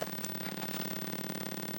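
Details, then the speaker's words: Mortal Kombat 2 arcade sound board under test: only steady static hiss with low hum, no test tone, touching amplifier gives nothing; main audio amplifier believed dead. "You can hear this static and nothing else. If I run my finger across the amplifier, you should hear, nope, nothing. I think our amplifier is shot."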